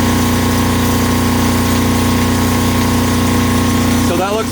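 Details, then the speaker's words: Kubota GL 7000 generator after governor adjustment down from about 63.75 Hz: steady, even drone with constant hum, no hunting or surging; running around 60 Hz, holding speed well. "pretty good you can see that we're right in that 60 UH 60 htz range"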